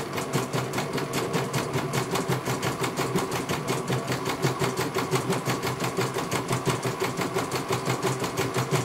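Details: CNY computer embroidery machine in for service from Banjarnegara, Central Java; even rapid needle beat about three stitches a second, steady and clean, one colour finished. Normal embroidery machine stitching.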